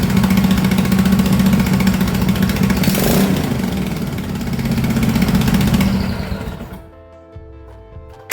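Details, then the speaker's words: MX-1 racing/drift mower engine after valve adjustment, new battery, new fuel pump and 34mm performance carbs: catches quickly, brisk steady beat with clean revs before shutdown; starts easier than ever, healthy. "I would say it was a smashing success. It has never started that easy."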